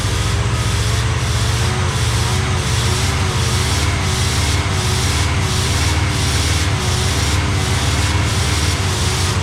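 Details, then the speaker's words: 1985 Pontiac Trans Am V8, 34,000 miles, parked since 1998, with a sticky carburetor. Deep, steady idle with an even rumble and a faint regular swish; no knocks or misses, sounds healthy. "But we got her running and it runs good. Okay. Well, she sounds good. Of course, at 30 uh 34,000 34,000 mi, I think you'd sound good, too."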